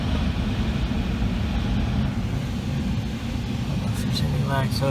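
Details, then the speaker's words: Outdoor AC condenser of a Comfortmaker gas furnace system switched on after the 24 V transformer was replaced: steady low hum, running evenly with no rattles, buzzing or grinding; normal operation. "all right so let's see what happens when we turn on the switch i hear the condenser all"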